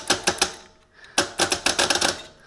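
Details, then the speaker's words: Teletype ASR 33 paper tape reader, its roughly 70 V DC relay contact closed manually with a blade: crisp clacks in bursts of three then about eight, each one stepping the tape forward. Normal tape reader stepping. "you can hear it and you can see over there how I am advancing the tape"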